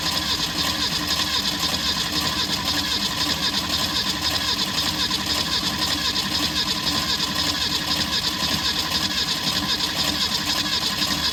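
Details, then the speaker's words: 1964 Ford Falcon wagon, sat 46 years, cranking after a new fuel line with built-in filter: steady churn about twice a second, never catches; no fuel seen in the filter, owner thinks the pump isn't pulling fuel from the back. "I'm not seeing any fuel here. I don't think it's pumping fuel from the back."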